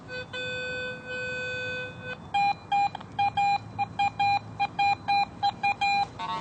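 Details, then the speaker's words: Garrett AT Pro metal detector in Pro mode among iron trash: low iron grunts, then crisp repeated higher beeps on each sweep as a quarter stands out, reading around 85; good target high tone among iron trash. "I'm getting iron trash readings all around that but uh that quarter you can really pick it out and it stands out"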